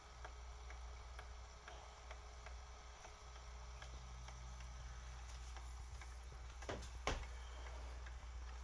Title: Aquarium Co-Op Heater Clicking Noise